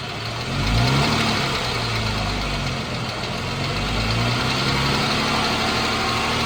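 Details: 2014 Jeep Wrangler 3.6 Pentastar V6 at idle: fast, light ticking over a steady hum. The owner is unsure whether it is a rocker arm or valve tick; cause unknown.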